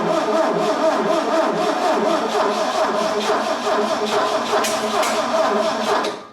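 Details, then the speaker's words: Bobcat 632 engine just reassembled with a new piston and rings to fix blow-by: the starter cranks rhythmically for six seconds without catching. Timing was off; the distributor cap was found 180 degrees out. "we tried to start a wooden start seemed like a timing problem from the way it sounded and um and it was the distributor cap was 180 degrees off"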